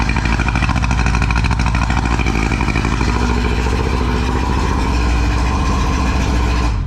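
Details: Two-stroke outboard on a tinny, unused for nearly 10 years, run in neutral while checking the telltale: a busy, even buzz holds a steady speed until it cuts off, no misfires or knocking; the pump appears to be moving water.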